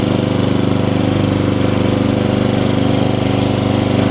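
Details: Hayter Heritage ride-on tractor mower, petrol, revived after eight years stored in a shed, oil checked, spark plug looks new, run outside: steady even single-cylinder thump at constant speed, no misses or knocks; normal running.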